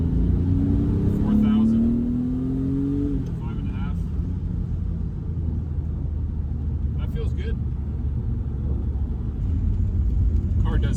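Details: 1990 BMW E34 M5, stock S38 inline-six and stock exhaust, after low-rpm misfire fix, driving to about 4,000 rpm through the gears: rises smoothly with no stumbles or misses under load; sounds healthy.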